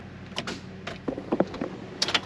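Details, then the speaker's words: 2012 Chrysler SUV that was parked after running, new battery fitted: a few sharp dry clicks, louder with more power, and no cranking. The starter gets power but the motor won't rotate. Starter click, no crank, seized engine. "slightly louder click but no no click click click click click"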